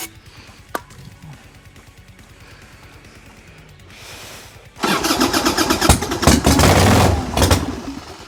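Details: 1990 Harley-Davidson Sportster 1200 after 10 years stored, new plugs, battery bungeed in: long cranking, then the twin fires raggedly, surges and dies. Owner suspects lack of fuel and checks the petcock setting.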